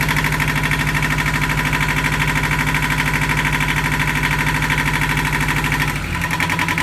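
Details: Yanmar marine diesel on a sailboat at its first start after fresh diesel, new batteries and priming: even, steady chug with a regular beat and no knocks or misfires, running healthy. It ran about five minutes, then stalled from air in the fuel lines.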